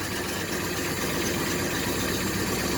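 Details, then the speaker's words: 1967 El Camino 427 big-block with MSD Atomic EFI, about 100 miles since install, first cold start of the morning at 62 degrees: busy, slightly uneven fast idle with top-end clatter, no knock or miss; normal cold warm-up. "right now it is cold so let me show you the uh temperature 62 degrees this is the first start in the morning"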